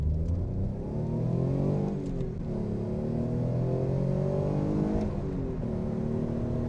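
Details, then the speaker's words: Alfa Romeo GTV 3.0 Busso V6 with the air induction kit swapped back to the stock airbox, accelerating through the gears: engine note climbs smoothly, dips at two gear changes, rises again; clean, even pull, quieter and more refined. "I mean, I can hear the engine now. Kind of hear the exhaust as well, so it's not dominated by thunderous air intakes."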